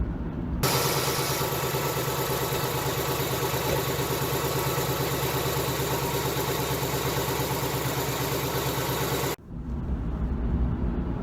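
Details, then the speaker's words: 2018 Mustang GT 5.0 Gen 3 Coyote V8 that had the typewriter tick, idling after Ceratec friction reducer was added: steady, even fast pulse with no ticking standing out; normal idle. "Pretty good results with that Ceratec. It's like this. Like magic. If this product can quiet that engine down and reduce the friction to make it run right, I would say it's a good product."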